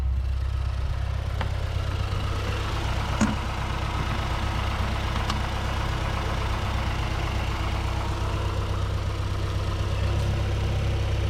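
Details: 2008 Mazdaspeed 3 turbo petrol idling after CorkSport high-pressure fuel pump internals install, before road test: even, low idle hum holding steady, only a few faint clicks in the background; idle sounds healthy and smooth.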